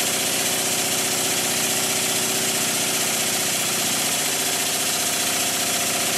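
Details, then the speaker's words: Rebuilt circa-1896 model steam engine run fast, finger pressed on flywheel for load: fast busy chuffing with a light knock each revolution; too-thin, weak crank pin starting to knock and getting worse. "It's starting to knock a bit now. The crank pin's getting worse."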